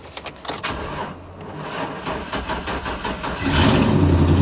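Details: Truck at salvage auction, on cold frozen ground, started after a jump; cranking chatter for a few seconds, then catches and settles into a steady rumble; normal start.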